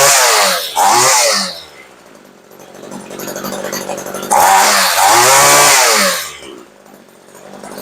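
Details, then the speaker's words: Homelite two-stroke weed eater after being restored; it snaps up to a clean high wail twice and drops back to a steady idle with no stumble or bog; running properly, idle may be turned up slightly. "that sounds pretty good we might turn the idle up just to touch but that's it"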